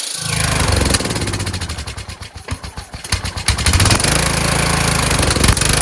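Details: Kohler Courage engine on a tractor, after a cylinder head swap, carburetor replacement and valve lash adjustment, started on choke; it thumps unevenly and hunts, dipping to a lumpy stumble. Owner suspects the throttle bracket and return spring.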